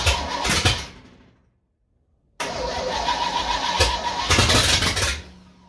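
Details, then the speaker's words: Old supercharged truck V8 after fixing carburetor leaks, choke held open: cranking cuts out, then a second long crank catches into an uneven, sluggish idle; timing is set, and the owner suspects jetting, possibly running rich. "Ain't got a clue why it won't start. Well, it ran at least. It's a little bit sluggish revving it up."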